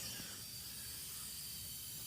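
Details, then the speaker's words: 1992 Honda Accord with built H22 engine, leak-down test: no air at radiator cap, faint steady hiss at the dipstick tube with the engine stopped, cylinder holding just below 70; slight leakage past the rings. "i don't hear nothing coming out of the radiator cap i hear a little bit coming out of the dipstick"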